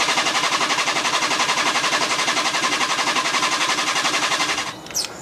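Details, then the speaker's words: BMW first start after fitting a refurbished engine: quick, even cranking pulses about four per second for nearly five seconds without firing; spins over quickly but slow to catch, air in the fuel system suspected; later runs. "well it spins over quickly I guess there's still probably air in the fuel system"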